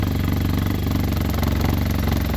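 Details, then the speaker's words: Arctic Cat Norseman, already run that day, with a known shake problem: loud, lumpy idle with a heavy low throb and uneven pulsing that never settles; the cause is not found and a fix is planned. "There's our familiar friend, Mr. Shake. So my buddy Tim's going to come over today with some foam and some goodies, and we're going to try to fix that shake."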